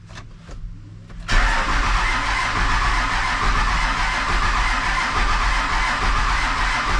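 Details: Diesel truck after new fuel pump and sending unit fitted, started without bleeding the fuel system: brief cranking, then it catches at once and settles into a steady, even clatter; clean start and idle.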